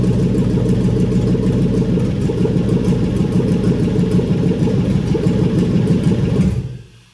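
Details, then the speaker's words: Junkyard engine on its first start after wiring with the fuel pump primed. Steady, even V8 rumble with no knocks or misses until it is switched off. Normal running. "oh my God it runs it runs"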